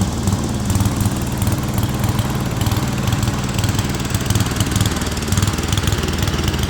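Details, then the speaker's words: Speedex model 1630 garden tractor single-cylinder engine with new carburetor, reused old head gasket, running and moving first time in years: low thumping about two pulses a second that stumbles unevenly; running rough, cause unconfirmed. "It's not running the greatest. I mean, it is running and riding, but it's not running the greatest."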